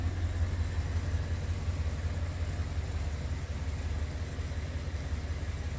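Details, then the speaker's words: 1957 Ford Thunderbird, after a full ignition replacement (Pertronix module, new coil) and a tuned, rebuilt carb, with an exhaust lacking resonators: low, even, smooth burble at idle with no misses or ticks; a brake-booster vacuum leak is still noted. "you can hear how quiet the engine's iding and smooth it's running"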